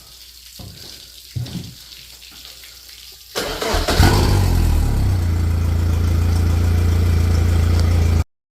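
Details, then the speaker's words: 2021 Yamaha VMAX SHO 115 outboard after lower unit reinstall with new impeller, gasket and plate: fires and settles into smooth steady low idle, no stumbling; water may take a minute to flow. "All right, guys, so when you crank it up, you might have to wait a minute for it to start spitting water. Don't assume it ain't working. Let it run for a minute."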